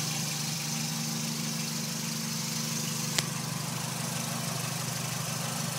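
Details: Warm 2005 Dodge Neon petrol engine at operating temperature, idling: a light, fast ticking over the low engine hum, present since winter and milder in warm weather; owner unsure whether valvetrain noise or piston slap.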